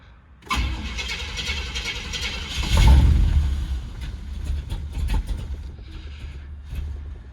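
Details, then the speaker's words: 1968 Cadillac DeVille V8 after oil change, first cold start of the day with aftermarket choke: starter grinds a couple of seconds before it catches rough and lumpy, then settles unevenly; rough until warm, carb needs adjustment and throttle sticks. "good news it hasn't been started today so let's give it a crank it probably won't start for a second but maybe it will"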